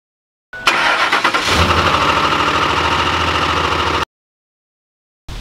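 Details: 2005 Ford F-150 5.4L Triton V8, which knocked loudly on startup from dry start, cranks and settles into a smooth, even idle with no knock after adding Lucas oil stabilizer.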